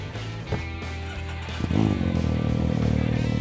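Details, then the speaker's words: Baja Bug VW Beetle body on a stock Can-Am Maverick X3 chassis and drivetrain, newly fitted aluminum mufflers and reinstalled O2 sensor: deep even exhaust rising cleanly on rev with faint turbo whistle, running healthy. "man that sounds good i can even hear the turbo you like it"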